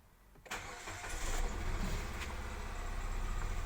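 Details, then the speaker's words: Nissan Almera with code P0302, cold engine just started for the first time, before coil replacement: shaky, uneven idle with a stumbling beat from a cylinder 2 misfire caused by a faulty ignition coil. "แล้วก็เครื่องยนต์รู้สึกว่าสั่นอันนี้ตอนติดเครื่องตอนที่เครื่องเย็นเลยนะเพิ่งจะติดเครื่องครั้งแรกเลยให้ทุกคนได้ดูนะ"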